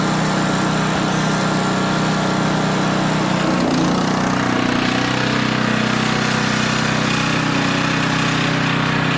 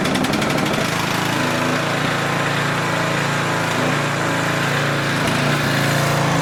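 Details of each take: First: Older Tecumseh 10 hp engine on a 4,000 W generator with adjustable carburetor jet, carrying a 1500 W load at about 62.4 Hz; steady, even drone holding speed without dipping. Normal governed run under load. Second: Older 4,000 W Tecumseh generator after carburetor adjustable jet tuning: steady loud single-cylinder drone with a fast even beat and only a faint, occasional surge, much improved; governed speed low at 55 Hz, needs raising.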